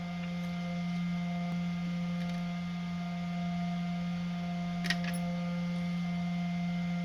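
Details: Elegoo Mercury XS making abnormal noise: a steady low motor hum with a faint whine above it and soft pulsing about four times a second, with the motor running noisily.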